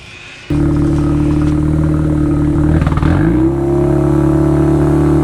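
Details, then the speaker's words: Wankel rotary-engined Willys Jeep after welding in an Aero TR20 resonator with exhaust wrap: sharp catch, quick blip rising in pitch, then even smooth rotary drone; normal exhaust note after the resonator. "So that's the after sound. Now let's do them side by side, before the resonator and after."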